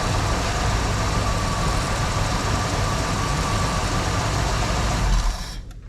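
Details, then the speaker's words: 1974 Ford Bronco idling after sitting about 30 minutes: steady, even low rumble with no knocks or ticks, oil pressure picked up immediately; engine healthy. "Let's see how she starts. She's been sitting for about 30 minutes here. Pretty dang good. Sounds like we immediately picked up oil pressure."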